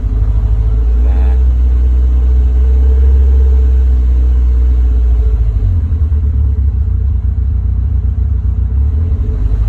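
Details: Warm engine, after reaching temperature and being turned off and restarted: uneven, lumpy idle with a loping beat of about three pulses a second. The engine is hard to start once warm and idles rough.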